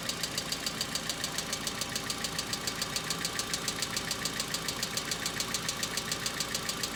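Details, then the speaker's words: Hyundai Accent cold start at about -2 to -3°C: sharp, even ticking about twice a second over cold idle, a hydraulic lifter not pumped up; owner says knocks are now more intense, last longer and recur, unlike before. "Температура ещё даже не опустилась ниже нуля . Когда станет очень холодно, этот стук будет слышен гораздо громче."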